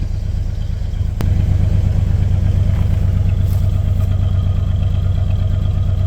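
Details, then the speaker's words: Chevy square-body dually 454 big-block after O2 sensor replacement and battery reset, no more black smoke: deep, even V8 idle with a steady low beat, no misses or stumbles; running smooth and clean. "running U nice and clean doesn't burn it doesn't burn the old eyeballs anymore and uh you can you can just hear it in the engine just nice and smooth"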